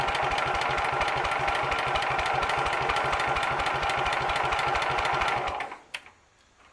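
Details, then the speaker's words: Sears Suburban SS12 garden tractor, believed 1970, long sat, first start attempt: even starter churning about five seconds, never fires; owner suspects vacuum fuel pump diaphragms shot from sitting, or carburetor, or old fuel. "all right so our first go at this was a total and complete failure"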